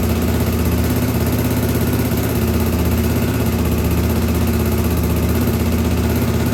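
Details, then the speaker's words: 1983 Honda XL600R after top-end rebuild (1mm overbore, Wiseco 11:1, Megacycle stage one cam, heavy-duty springs), restarted warm after running; customer previously had no hot restart: steady even single thump about four beats a second; normal running. "I ran it for a while and then while it was warm I turned the camera back on jumped on it and it started right back up so that is a good sign"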